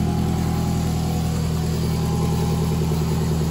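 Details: 2004 Toyota Camry just after a transmission swap, using a junkyard transmission said to have 162,000 miles: smooth, even idle with a steady low rumble and no knocks, ticks or whine; normal idle.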